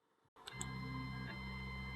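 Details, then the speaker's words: Elegoo Neptune 2S 3D printer Z-axis stepper motor, feed rate lowered from Z3 to Z2.5 and Z2.55 via Pronterface to cut noise: quiet steady electric hum whose pitch changes with the slower feed rate. "we're going to have a noticeable difference in the frequency and the sound of the z-axis and it can even go down as far as zed 2.55 and this is going to make a different sound also"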